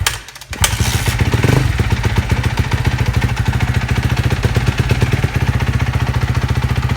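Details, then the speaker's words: 2012 Kawasaki KX250F single-cylinder after a top-end rebuild with cylinder and head: starts easily and settles into a crisp, even thump with no knocks or rattles; runs smooth, healthy idle. "And besides that, I think we're good to go. She starts easy, runs pretty smooth."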